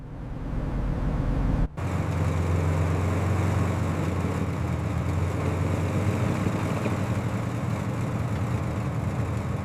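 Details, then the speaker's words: Chevy C10 V8 pickup revived after 20+ years abandoned in the Mojave Desert, transmission manually engaged, driving back to the shop: deep, even V8 drone, steady and smooth with no knocks or misses; running normally. "She is running perfectly. We made it out of the dirt and we are finally heading back to the shop."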